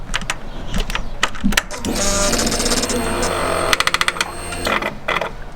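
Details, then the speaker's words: Suzuki GSX-R1000 K1/K2, camera aimed at exhaust: SET (Suzuki exhaust tuning) butterfly valve servo makes woodpecker-like tapping bursts, then a strained whirring as it tries to turn; exhaust valve seized, to be disabled. "So it did it 3 times then, but it's like a woodpecker sound followed by and almost a sound of it trying to turn."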